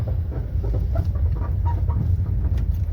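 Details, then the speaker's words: Renault Triber suspension: short, irregular chirping squeaks over a heavy low rumble, traced to a failed shock absorber that sinks and doesn't rebound. "Driver গাড়িটার সাসপেনশনের প্রচুর আওয়াজ আছে। দেখতে পাচ্ছ পুরো একদম শুনতে পাচ্ছ পুরো কুঁচ কুচ কুঁচ কুঁচ কুচ কুচ করেই যাচ্ছে।"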